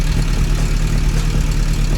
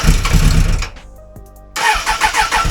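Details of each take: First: 1996 Suzuki Bandit GSF600S after a carb rebuild with new jets, an air-fuel adjustment and a reconnected vacuum line, idling at about 1,200 rpm. An even, steady low burble with no misses or knocks. Normal idle. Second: 1996 Suzuki Bandit GSF600S after sitting a week with low battery: starter churns at about four pulses a second without catching. Cranking no-start traced to dirty, lean, mis-jetted carbs and stale fuel.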